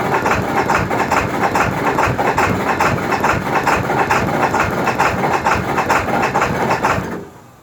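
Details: 2002 Ford F-350 Super Duty 7.3 diesel, cold morning start after repeated glow-plug cycles: slow, labored cranking about twice a second, struggling to catch; hard start due to a bad glow plug relay, runs fine once cleared.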